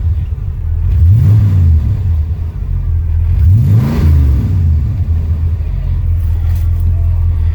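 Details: 1979 Ford F150, 460 V8 automatic, sat neglected for years with transmission issue, started on an old Optima battery after the truck's battery was shot: deep V8 idle with two quick throttle blips rising and falling cleanly; runs well, normal.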